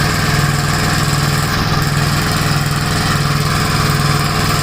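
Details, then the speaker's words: Gravely single-cylinder tractor running with the mower deck engaged: a steady low thrum holding even speed under mowing load, no misses or knocks; normal running under load. "But still seems to be running good. I have the mower deck engaged."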